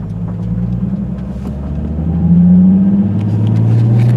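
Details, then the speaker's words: Normal clutch engagement on a 2008 Nissan 350Z with a new JWT heavy-duty clutch and pressure plate (139 miles, not yet broken in), new OEM dual-mass flywheel, Zspeed HD slave and Wilwood HD master cylinder: engine note climbs smoothly pulling away in first, no chatter or judder. "then the second as you can see just it's smooth i'm not bragging or anything like that i just want you guys to know what it's supposed to sound like"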